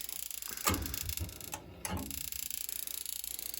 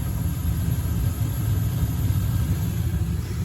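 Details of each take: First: Slant Fin Galaxy gas-fired steam boiler, no heat: rapid steady stream of clicks with no ignition, pilot never lights; failed Honeywell intermittent pilot module, replaced. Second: Slant Fin Galaxy gas-fired steam boiler, about 40 years old, after replacing the failed Honeywell intermittent pilot spark ignition module: ignition then a steady, even low roar of the main burner with no sputter or cycling; normal operation.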